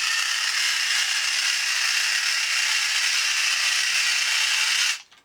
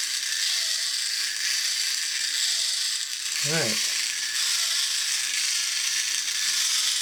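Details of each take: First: 2003 tin-toy reproduction of a 1950s Radar Robot walking on two D batteries: loud, harsh, fast ratcheting gear whir that runs steadily then cuts off; excessive gear noise, possibly from gear binding in the design. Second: 2003 TTT reproduction of 1950s Radar Robot toy, motor previously jammed and freed, run on battery pack: light, fast ratcheting gear chatter with high whirr and brief clatter; sounds normal for this design.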